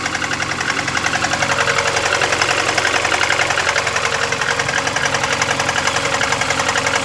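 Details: VAZ 21099 cold at idle: a sharp, even tapping about 3–4 times a second over the engine note that grew louder after 50 km and was driven about 350 km; an engine knock when cold, cause not yet found.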